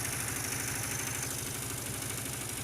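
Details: Honda Beat automatic scooter, poorly maintained, at idle: harsh, steady rattling tick like piston slap or a loose cam chain; the cause is a spark plug working loose and nearly falling out.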